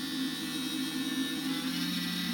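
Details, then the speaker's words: Small cooling fan on the bench while repairing a Neotec 2515C 25-inch arcade monitor chassis: steady whirring buzz with a wavering low tone; fan bearings going out, noise stops once warm (~100°F) and tapped, needs replacing. "the fan likes to the bearings are going out in it and i have to wait for it to get to what looks like a 100 degrees fahrenheit then i can bang on it and that noise will go away"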